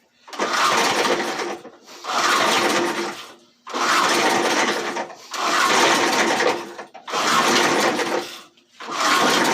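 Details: Old J C Penney 4 hp, 22-inch high-wheel push mower with its original engine and carburetor, fresh gas added: six even rasping pull-starts about every second and a half, and the engine never catches. The gas tank leaks and the carburetor is judged junk.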